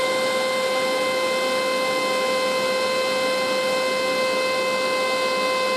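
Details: Chinese 12V 4A turbo blower exhaust fan in a lab: loud, steady high-pitched siren-like whine holding one pitch over a faint airy hiss; cause unknown.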